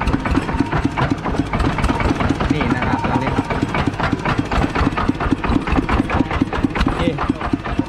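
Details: Used Kubota ET110 single-cylinder diesel tractor engine: rapid, evenly spaced thumps holding a steady idle, no skips or extra knocks; normal healthy idle.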